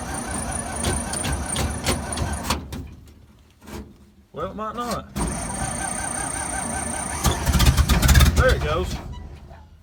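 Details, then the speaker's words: 1950s Dodge dump truck, inline six, sitting 30–40 years, fuel poured into carburetor: engine catches, runs rough and smoky, fades and quits, then fires again briefly; carburetor running dry of fuel. "well and we're out of gas but it does run and smokes pretty good it seems that's probably just from its setting for however long it's set yeah carburetor is dry"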